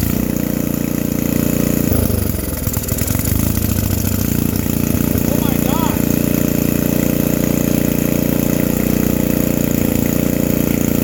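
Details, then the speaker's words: Free vintage small-engine generator with varnish in it, started with a whiff of ether, killed by grounding the spark plug: single-cylinder catches after a rough first few seconds, then settles into a steady, even run with no misfires; normal running. "Like, oh my god, I can't believe this thing just fired up."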